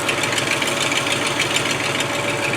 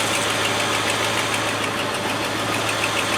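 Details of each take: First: Land Rover 110 V8 idling after starting: sharp raspy puffing chuff with a hissy edge over a weak low end. Exhaust leak from a Y pipe busted wide open on one side; replacement part on back order. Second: Land Rover 110 V8 idling warm, gauge about halfway, hoses pressurised but thermostat not yet open: smooth, even, fast-ticking idle with low hum, no knocks or misses, "like a little sewing machine". Normal idle.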